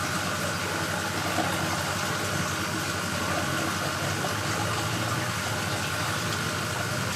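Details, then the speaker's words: New Maxspect 350 twin wave-maker pumps on a reef display tank, just switched on after installation: smooth, constant hum with a faint thin whine over rushing water, no buzz or rattle. Normal running. "so it's time to turn on our new mac spec 350 twin pumps here we go three two one on"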